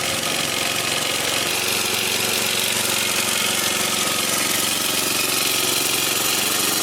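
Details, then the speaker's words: Toro Turfmaster 30-inch commercial mower with Kawasaki FJ180V engine, started on choke during service before oil change: steady even warm-up idle chug, not fully down, no misses or surging; healthy. "let it warm up nice idle that's not all the way down either all right we got to let it warm up"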